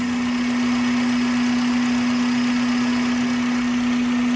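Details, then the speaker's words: Honda City (Vitec) automatic, engine previously hunting with RPM rising and falling and dropping below 500 rpm in D/R with harsh vibration; after intake manifold work and adjustment the engine no longer surges, settling into an even steady idle hum, normal idle. "Hai untuk mesinnya udah enggak naik turun Beb sudah enggak naik turun"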